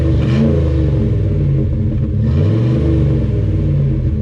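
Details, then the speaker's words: SUV after tune-up, throttle body cleaned of rust and carbon: several quick throttle snaps rise and drop crisply, deep even exhaust note, no misfire, cleaning residue out, running smooth; normal revving. "So there we we go, cleaning all the crap out of it. Oh, and it's running so smooth."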